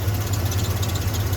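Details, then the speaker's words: 1994 Ford F-150 cold engine idling with steady low hum and light fast metallic rattle, present since purchase and gone when warm; stopped after removing loose timing tab. "and it goes away when the truck is warm oh you know what it is I think that b h that all right that's the first time cranking it that I have not had that rattling sound what did I have to do I removed the timing Tab"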